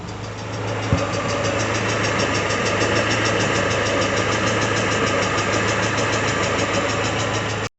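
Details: Peugeot 406 Coupe, 244,000 km, after timing belt replacement, warming up around 50–52°C: light regular ticking at idle that fades as it warms; attributed to the hydraulic lifters.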